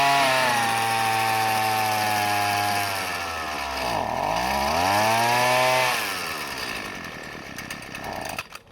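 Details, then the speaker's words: Husqvarna 128CD two-stroke trimmer powerhead, curb find, first runs: revs up, sags and climbs again with a buzzy, slightly burbling note, then fades out; running rich. "Yeah, that's running rich."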